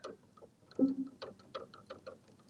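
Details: Upright piano key action with the key parts lifted to isolate the noise: a note sounds with sharp dry ticks repeating about every third of a second; key action click, not in the key itself, and the wippen flange screw was not loose.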